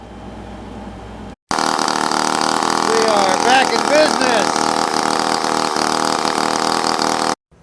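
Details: Small engine after flooding trouble, after cleaning the metal baffle muffler and spark arrestor screen and gapping the spark plug to 0.020 in: fires right up and holds a steady, even exhaust beat with no misses or stumbles; running normally.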